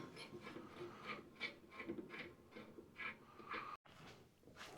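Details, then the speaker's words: Craftsman Z530 zero-turn mower deck, idler pulley rocked by hand with dry clicking about two a second; idler arm stud bushing wallowed out giving massive play, plus spindle bearing noise: worn idler bearing. "That is a a massive amount of play. Should not move back and forth. There's one stud and a bushing that comes there and it's just all wallered out."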